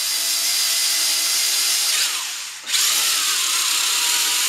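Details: WL Toys V262 quadcopter with a recently replaced brushed motor after only a couple of flights: high motor whine that wavers, sags, then surges unevenly; the brushed motor is failing again.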